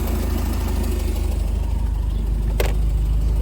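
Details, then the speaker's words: 1987 Bayliner Capri, MerCruiser 3.0 converted to Holley Super Sniper 2300 EFI, running open loop without an oxygen sensor. Steady, even low rumble at idle, about three beats a second, no stumbles or knocks; idle position perhaps slightly low. Normal idle. "idle position sensors maybe a little low i might back that off a little bit more but it's idling right about where it should"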